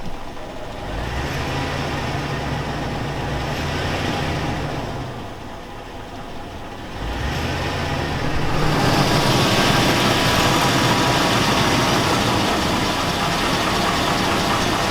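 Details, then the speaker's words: 2002 Chevy Avalanche 5.3L V8 said to be burning oil. Rough idle with a steady rhythmic knock that carries on as revs rise; owner thinks it sounds like rod knock, then doubts it, so the cause is unconfirmed. "let's cut that unbearable knock sounds like a 5-4 Titan it sounds like rod nock to me I think it does rod neck sounds like it"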